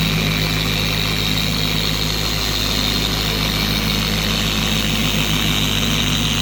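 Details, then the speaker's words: 4-year-old Carbon Collective DA polisher after gear head grease replaced with red lithium, fixing vibration, wobble and high-rpm screaming: steady even high-speed whirr, no scream or wobble, smooth motor and pad hum; normal running. "To me, the polisher is a lot more quiet. It doesn't scream anymore."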